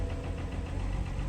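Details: 5 Series at idle showing low coolant, transmission fault and intermittent low oil pressure warnings despite having oil and coolant; uneven, lumpy low thrum with irregular pulses, running rough at idle.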